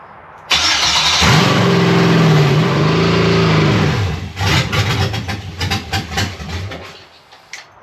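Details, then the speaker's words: Aluminum Gen 3 5.3L LM4 V8 for a 1994 Jeep Wrangler swap, first fire-up on a PCM tuned for another engine's cam: starts right away, runs loud and even about three seconds, then winds down. "Yep, well, she runs. That wasn't as loud. That was pretty loud."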